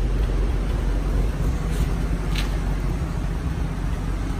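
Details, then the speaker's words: Chevrolet Fleetline four-door, stock, engine appears rebuilt: low, soft, even rumble with no smoke, knocks or misses, smooth like a sewing machine; normal idle. "it doesn't smoke it doesn't Mack nothing it just is smooth sounds like a dang sewing machine running"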